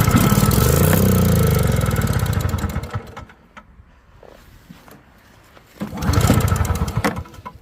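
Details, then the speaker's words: Yard Machines snowblower on half choke during a test run (it earlier died after about 3 minutes): engine roars, sags almost to stalling, then picks back up unevenly, possibly from snow getting in. "yeah, she's definitely acting up a little."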